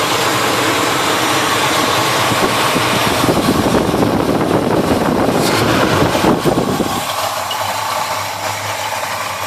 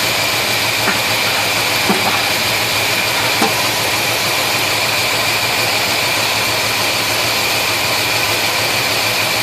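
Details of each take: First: Chevy 350 V8 in a 1971 Chevelle, chased for a persistent misfire (number one plug had been wet), after carburetor parts swap and readjustment with the plug now dry: runs evenly with no misfire stumble or ticking, then settles lower into a steady smooth idle. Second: 1971 Chevelle 350 V8 at idle, loud and steady with a few faint ticks about once a second; number one cylinder dead, plug wet, zero compression because a valve is held open.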